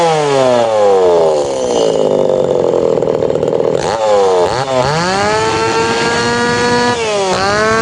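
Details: Tanaka PowerMate PMS340 two-stroke pruning saw, warm, after fuel delivery system repair and final tune-up; revs climb fast to a crisp high note and drop back evenly; now correct, ready to hand back.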